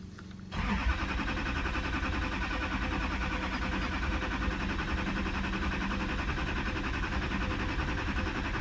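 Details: 2008 Chevrolet Duramax LMM diesel, 224k miles, sat nearly a year after a shop replaced oil pump, water pump, fuel filter and housing: starter turns engine over at steady, even rhythm but never fires; crank no start, cause unknown.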